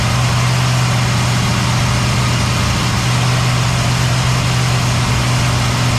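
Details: Cadillac ("Lil Debby") restarted after fuel-line hose clamps were tightened during diagnosis of a brand-new but failing fuel pump; steady, even idle with constant low hum, no misses or knocks. Normal idle.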